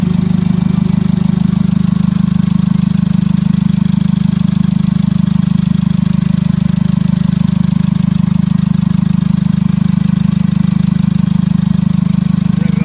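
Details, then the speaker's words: Jeep Liberty CRD diesel, first start after top-end rebuild with glow plugs reinstalled: steady, even diesel clatter at idle with firm low rumble, no misses or knocks; runs cleanly, no check engine light, a little smoky. "so this will be our first test fire after the top-end rebuild that is the sweet sound of compression ignition"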